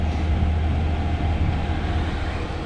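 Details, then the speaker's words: Truck camper diesel heater reinstalled, warming up after glow plug shuts off, supply voltage rising: steady even low roar with constant fan hum, no surging or sputter; warm air coming out, running normally. "all right so you can hear it now she's revving up we got hot air coming out of there well warm air right now"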